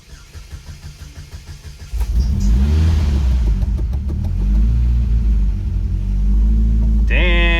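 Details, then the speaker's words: Cold start of a 2006 Chevrolet Cobalt LS, supercharged, running E85 and unstarted for at least a month: quick regular ticking, about four per second, while cranking before the engine catches and revs. Owner suspects belt slip; the noise stopped on its own. "did you hear that ticking at the beginning it seems like i'm having belt slip"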